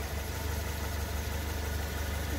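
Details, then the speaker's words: Lifan X60 petrol, about 38,900 km, idling: low uneven metallic buzz-rattle, also heard when pulling away, from the exhaust heat shield broken loose at its weld on the muffler pipe. "вот видите в пайке отвалилась от трубы защита глушака отвалилась"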